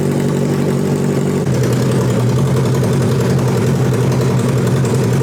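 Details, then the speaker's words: Homemade Formula 1-style cart engine on a new custom fuel system, warming up: catches and settles into a steady, even low idle with a firm unbroken beat, no misses or knocks; running healthy. "I never thought I would get so much pleasure from just sitting here watching this thing warm up."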